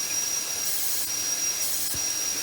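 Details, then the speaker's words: Chevy Monte Carlo V8 that sat at least 7 years, cylinder seven leak-down test at top dead centre, engine off: steady high airy hiss with air blowing out the dipstick tube; air passing the piston rings, not seating, may reseat once run warm. "I can feel the wind blowing on the dipstick tube that means we got air going B past our Rings which means our Rings aren't seating very well"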